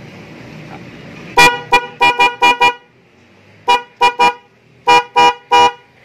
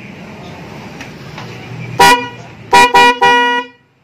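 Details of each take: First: Denso snail horn just installed on a Vespa matic with a relay, powered straight from the battery, after an earlier test sounded weak, possibly from a mount touching the body. Loud, clear, full blasts in groups of five, three and four: the horn now sounds good. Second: Denso snail horn newly installed with relay, battery-powered, on an automatic Vespa: one honk, then three short flat mid-pitch honks over idle hum; installer suspects the right-side horn is still obstructed; weak horn.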